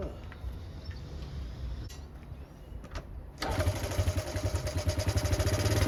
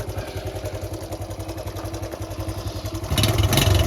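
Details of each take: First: Honda Cub C70 during restoration, after fixing the earthed points wire that caused ignition timing trouble: the engine catches and settles into a steady, even beat that picks up smoothly; now runs clean. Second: Honda Cub C70 during restoration, after resetting points to .03: small single running at a steady beat with light tinny rattles rising with revs; exhaust not fully tightened is the suspected cause.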